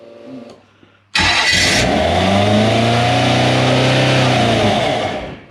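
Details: Toyota 1UZ V8 in a sterndrive boat, restarted after checking the plug leads and a lean backfire, catches and revs smoothly, pitch climbing and settling evenly with no pops or misses; runs clean, though smoky with some water seen near the fuel pump.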